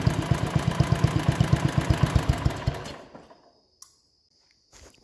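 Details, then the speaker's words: 1960s Toro Professional 70 reel mower, sediment bowl cleaned, fuel leaking: single cylinder pops unevenly about four times a second then dies; runs with gas shut off but not with it on, carb suspected to need rebuilding; runs rough and stalls. "all right so it runs all right with gas shut off if you turn on the gas it doesn't want to run telling me carb has issues and needs gone through"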